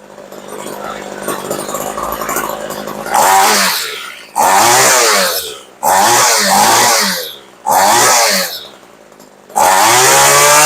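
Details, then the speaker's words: Homelite curved-shaft trimmer after H-screw carb adjustment (more fuel): crisp two-stroke revs up cleanly in repeated bursts and drops back to a steady idle; sounds right and healthy. "we'll give it a little bit more Let it go down to idle and for cheap we do that sounds darn good"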